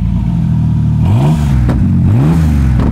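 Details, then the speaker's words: Exhaust with a rusted pipe section cut out for repair, car briefly warmed up and given a couple of light revs (not a V8): loud, raw, deep open-exhaust roar swelling on two short throttle blips. "that actually sounds really good oh baby not a v8 but man i love the sound of a loud exhaust"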